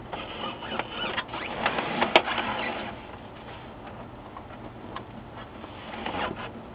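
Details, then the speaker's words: HP LaserJet 4P after replacing broken drive motor gear: soft uneven whirring and paper-path rustle with one brief snap, no repeated clicking or grinding; repaired, normal operation. "now you have a repaired printer doesn't make the clicking sound"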